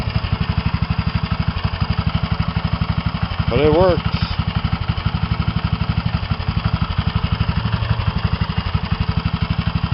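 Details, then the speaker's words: Mini bike single-cylinder engine idling with homemade six-chamber muffler: small even thumping with a light, steady tick on each beat, about four a second; owner thinks one valve has too much clearance. "so yeah you could hear the tick of the motor now i think one of the valves got too much gap in between them"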